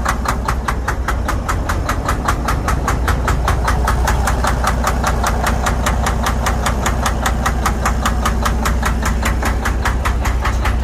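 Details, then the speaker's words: Detroit DD13/DD15/DD16-family diesel at steady idle with a sharp, evenly spaced knock a few times a second; faulty injectors overfuelling the combustion chamber, causing knock, rough running and heavy smoke with no check engine light. "injectors were over fueling the system causing a lot of knock you will hear a little knock on the engine because this was having hard time to consume all the fuel that was getting injected to the combustion chamber"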